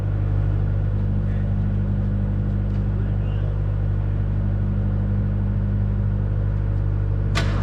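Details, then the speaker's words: Abandoned 1969 Mach 1 Mustang, originally a 351, now a 302 with a cam and a probable rod knock, sat almost 10 years: fresh NGK plugs, carb swapped, has fuel, chilly morning; steady fast cranking never catches; possible crossed plug wiring or firing order. "It's got fuel. It wants to run, but it's not running."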